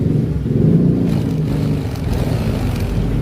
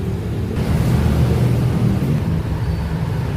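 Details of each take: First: Yamaha NMAX 155 scooter idling with a steady, low, even rumble and no ticking or rattle, after fixing a rough-noise complaint traced to the cam chain tensioner; oil change alone had not cured it. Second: Yamaha NMAX 155 scooter idling, still noisy after an oil change: fast, uneven metallic clatter over the engine hum, suspected at the cam chain tensioner.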